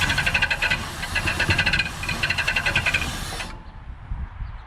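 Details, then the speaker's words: 1967 Ford Galaxie 500, 289 Ford V8, first start attempt before break-in: fast rhythmic squeaky scrubbing, about four a second, as the engine turns over, then it stops; owner thinks the replaced crank/fan pulley is touching another pulley because of tight clearance. "I know what that is. I think it's my pulleys touching. That makes sense. Sounds about what that would sound like."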